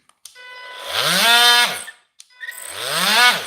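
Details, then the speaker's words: Makita DTM50 cordless multi-tool: two short bursts of harsh, buzzy motor whine, pitch rising and falling and wavering unevenly; doesn't sound right, running rough, cause unclear. "doesn't sound right there so like I say I've ordered parts four two out of three of these items"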